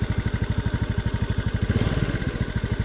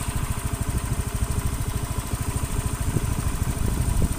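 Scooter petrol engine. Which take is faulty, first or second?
first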